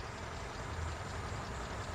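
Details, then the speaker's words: Car engine that was running rough (pincang), after checking spark plug cables and finding a broken clip, with distributor and contact points (platina) serviced. Low, steady idle with an even rumble and no misfire or stumble. Sound is now good. "Kita akan memulainya. Belum. Oke, teman-teman. Ternyata tidak apa-apa, suaranya sekarang sudah bagus."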